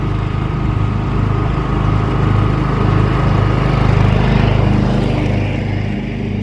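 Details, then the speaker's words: John Deere 325 lawn tractor test-mowing after a push-button start was installed to replace the failed ignition key switch; steady, even mid-pitched drone swells slightly as load comes on and stays smooth, engine healthy. "That seems to work good. I'll run it outside and we'll test bowl a little bit with it, and this one should be good to go."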